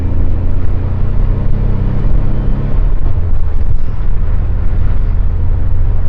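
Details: 1978/79 VW Super Beetle, air-cooled engine with original fuel injection, driving on the road after repair: deep, even engine drone under road rumble, pulling cleanly through a smooth shift; engine sounds healthy under load, normal running.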